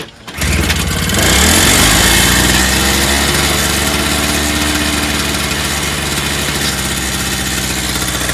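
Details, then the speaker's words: Toro snowblower, started on starting fluid with the carb needle suspected stuck: it runs at a fast, steady buzzing speed and never settles to idle. The engine revs too high and needs an rpm adjustment; the choke handle is missing. "that's really revving really high i didn't expect it to start i didn't at all that's cool so we know we have a working snowblower just needs to shoot really an adjustment on the rpm speed that's all"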